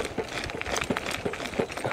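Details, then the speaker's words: Hitway BK15 budget electric mountain bike ridden over bumps with a 75 kg rider: irregular dull thumps and clacks a few times a second as the overly soft front fork, about 4-5 cm travel, bottoms out against its stop. "Ouais, la suspension j'arrive à l'écraser très facilement, elle est un petit peu trop souple à mon goût. Je fais 75 kg et j'arrive tout de suite à arriver en butée."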